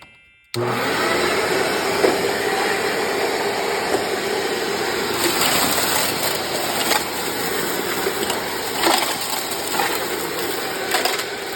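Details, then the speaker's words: 1997 Sharp Twin Energy EC-12TWT4 upright vacuum test run after refitting the forgotten shelter plate that reinforces the brush roll: motor spins up to a steady even whoosh, no grinding or rattling from the brush roll; runs normally. "There you go, everybody. It finally worked."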